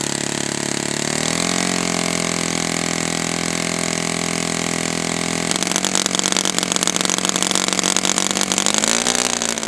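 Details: Brand-new customer Saito FA-100T twin glow engine on test stand, break-in run: high buzz climbing in pitch, then steady full-throttle note, slightly uneven; rich, plenty of oil coming out, not lean. Rich break-in run.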